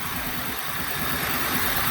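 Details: Big Ford van V8 that sat all winter with a low battery (slow crank and clicking), just jump-started with a NOCO GB70 booster: even, steady idle with smooth low rumble, no knocks or misses.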